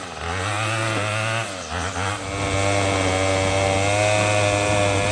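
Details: Troy-Bilt TB22EC two-stroke string trimmer after no-start fix (sat unused, primer bulb replaced), trimming weeds: steady high buzzing note dips briefly under load then recovers and holds evenly; running normally.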